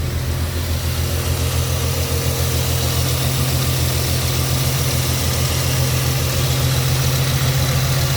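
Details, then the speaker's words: 1964 Ford F100 with automatic transmission: fires right up with no gas pedal, settles into a deep, even idle burble with steady beat, no misses, knocks or ticking; runs nice and smooth. "it does fire right up and we can hear it running no gas pedal needed fire's right up it runs nice and"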